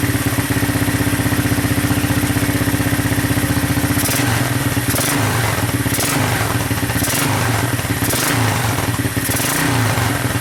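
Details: Honda 200SX field find on carburetor with pressurized external gas tank, choke just turned off, in neutral, rear wheels up: small single-cylinder putters at steady even idle with a brief throttle blip, no knocks or misses; normal healthy idle.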